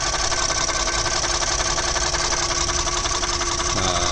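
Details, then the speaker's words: 2011 Ford F-150 3.5L EcoBoost V6 revved slightly, busy regular ticking knock over engine note; began after 4-5k rpm on freeway; mechanical fuel pump and coil pack previously replaced; no performance problems; cause unknown. "I'll rev it up a little so you guys can get a little more sound of it I'm not having any like performance problems it still runs and rides but probably yeah pretty good"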